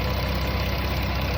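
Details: 2014 Dodge Caravan brought in for whining when accelerating, restarted at idle: steady low idle with heavy uneven pulsing underneath, no sharp knock; engine shaking at idle.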